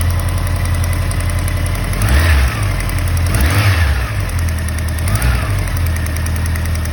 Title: 2013 honda cb ticking noise